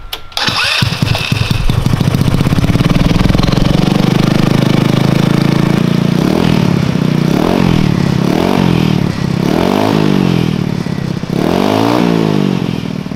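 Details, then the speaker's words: Zircon 150cc go-kart test fire after a new coil pack, performance CDI, Hammerhead performance exhaust and valves adjusted to 0.002 in: it starts after a few cranks and revs cleanly in smooth sweeps. The earlier valve rattle is gone; normal running. "so the exhaust does sound really good it seems like it revs a lot better and you don't hear that valve rattle that we had before"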